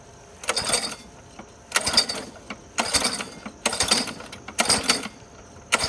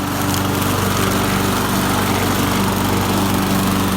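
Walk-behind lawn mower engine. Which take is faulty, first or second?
first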